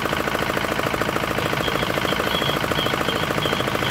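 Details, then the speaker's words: D10 R190 single-cylinder diesel after repair of hard starting and a horn-like chirping noise behind the rear cover; now starts easily and runs crisp. Even quick firing knocks, no misses or rattles. "Máy nổ rất là dễ và rất là là giòn kiểu như các bạn như thế là được rồi đấy"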